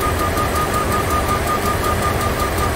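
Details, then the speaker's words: 2004 Dodge Ram 1500 4.7 V8, low dirty oil just changed, rough idle with a light tick two to three times a second from the right bank; vacuum gauge indicates valvetrain fault, exhaust cam follower on cylinder 4 popped out, likely collapsed lifter. "let's have a look at intake manifold vacuum while it's running so i got the vacuum gauge keyed into the brake booster fitting and that definitely indicates a valve train problem"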